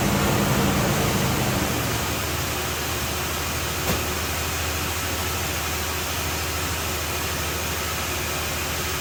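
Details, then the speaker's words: 1984 Oldsmobile Delta 88 Royale carbureted V8 idling after carburetor work: steady even low rumble with a faint regular beat, no misses; idle a little better than before. "It starts, and it's actually a little better than it was before. Maybe with the idle under control."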